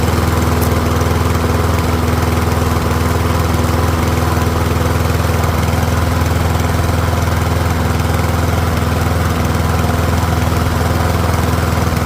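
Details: Troy-Bilt rear-wheel-drive mower with Briggs & Stratton engine, after ultrasonic carb cleaning, warmed up about five minutes, no smoke now, fuel running low: steady, even single-cylinder beat, no surging or misses; pretty quiet, running smoothly and healthy.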